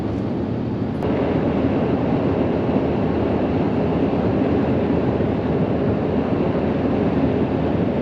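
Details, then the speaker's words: Truck camper (Arctic Fox 990) rooftop air conditioner just switched on, running on high: steady even roar with no rattles, surging or cycling; normal operation. "i don't know if you can hear that sound that's the sound of our air conditioning we broke down and we turned it on it's running on high"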